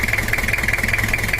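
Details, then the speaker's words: Toyota Kijang LGX with 2L diesel, after repair of a complaint of compression-leak-like, uneven rough sound, injection and valves not yet set: fast, hard, dry knocking about fourteen beats a second with harsh upper clatter; rough idle. "ini adalah suaranya masih belum kita setel suaranya terlalu kasar dan kering"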